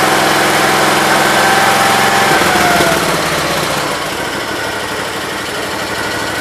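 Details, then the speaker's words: 1968 Gravely 430 small engine just reinstalled: it runs fast and even, then the pitch sags; high idle caused by the choke cable routed behind the governor arm. "well now i figured out the high idle genius me had the choke cable in behind the governor arm"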